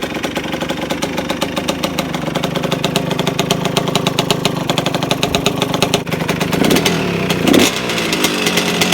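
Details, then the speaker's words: 1992 Suzuki RM125 two-stroke dirt bike idling steadily after carburetor cleaning, with a fast metallic rattle from the muffler, which is not fully on and needs hose clamps. "hear that rattling? It's the muffler. Yeah, it's not completely on. I need to get hose clamps for it."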